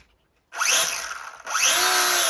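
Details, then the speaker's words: Volantex Focke-Wulf Fw 190 four-channel RTF RC plane on the ground, throttle armed: brushless motor's sharp high whine climbs quickly twice and holds strong on a 400 mAh battery. Normal motor run-up. "again, plenty of power from that motor with a 400 milliamp battery."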